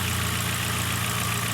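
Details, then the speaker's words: Ford Focus after motor mount replacement and fixing a stalling problem: low, even idle hum holds steady with no stumble or hunting; smoothest idle since the issue began. "so it's never sounded this good or idled like this since we had this little issue"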